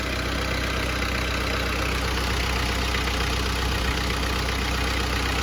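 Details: 1994 Panther diesel, first owner, around 350,000 km, warm after a full-AC drive, temperature about 90°: smooth, even diesel clatter and steady low rumble, no misses or surging; normal warm idle.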